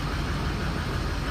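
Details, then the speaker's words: Ford truck with about 107,000 miles (ICP sensor in valve cover), warm-up pending: even, steady low diesel idle with no knocks or misses after a no-start diagnosis with an IPR code 26. Possible weak injectors suspected. Normal idle. "now watch for that IPR to go down actually doesn't sound real bad right now it sounds pretty good"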